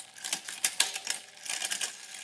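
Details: Bicycle front derailleur after setting limits and removing rub: quick crisp clicks and chain ticks as front gears are shifted harshly, no rubbing or grinding; clean front shifting.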